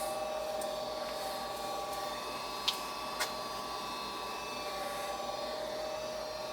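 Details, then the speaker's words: Goodman gas furnace with burnt smell and no heat, cooked control board/relay found; restarted to check a cycle: steady low motor hum with a couple of relay clicks, furnace starts its cycle normally. "I'm gonna turn it back on I don't see anything wrong with anything else just a board make sure it starts up and goes through a cycle"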